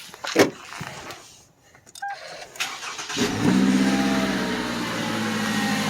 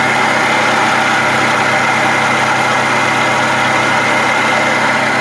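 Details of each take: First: 2010–2017 Toyota Camry 2.5L 2AR-FE four-cylinder that had a water pump pulley noise, started with both drive belts removed: it settles into a steady, even four-cylinder idle with no rattle or whine, the noise gone, pending water pump replacement. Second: 2010-2017 Toyota Camry 2.5L 2AR-FE four-cylinder at idle: constant gritty whir over the engine, no knock, coming from below the alternator; worn water pump bearing, pump to be replaced.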